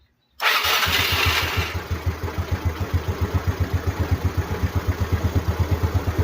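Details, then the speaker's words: Motorcycle start on a new DAYWAY 5L battery (12.56–12.68 V standby, replacing one whose voltage dropped on push-button start): quick crank catches at once, single settles to even idle; voltage rises to 13 V, regulator charging fine. "So umakit siya ng 13. Ibig sabihin goods yung regulator natin kasi nagcha-charge siya."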